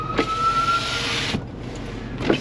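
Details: Car power window, one of the windows being checked for failure: clean steady motor whine about a second ending in firm stop; this window works normally.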